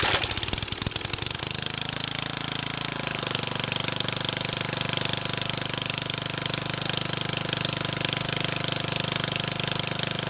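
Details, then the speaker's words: Old rotavator (tiller) with 3.5HP Briggs & Stratton engine, after cleaning the diaphragm carburettor and replacing two-stroke-mix fuel with fresh petrol and lead additive: rough catch on choke, then fast, even single-cylinder patter, no misses; runs cleanly. "nice got a motivator that works now"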